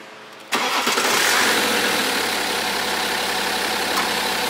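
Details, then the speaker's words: BMW 5 GT F07 3.0 diesel, cold start after timing chain replacement, earlier complaint of stretched-chain noise on acceleration: catches after a short crank and settles into a smooth, even idle with no chain rattle: normal cold start. "지금의 이제 소리가 굉장히 암전 해요 예 영상에서 두름 약간 좀 시끄럽게 들릴 수도 있는데 굉장히 얌전하고 제가 아주 좋아요"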